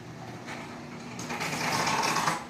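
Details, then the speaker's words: Brand-new garage door opening: a rough, scraping grind that builds as the door travels, with a faint squeal on top; the owner thinks it needs to settle in, cause unconfirmed. "here's an opening i know it grinds because it needs to settle down a little more"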